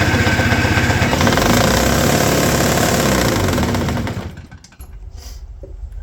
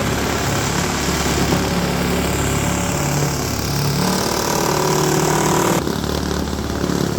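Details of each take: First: Toro S-200 two-stroke snowblower, roadside find rehabbed, cold, choke on, electric start: long cranking chatter at about four beats a second that fades without a clean catch; hard cold starting, cause suspected, not confirmed. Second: Roadside-rescued, rehabbed Toro S-200 two-stroke snowblower with a 2x4-in-the-drum hack, started cold on its first snow test: steady, even drone that holds pace as the auger bites into snow, no misses or knocks; running normally under load.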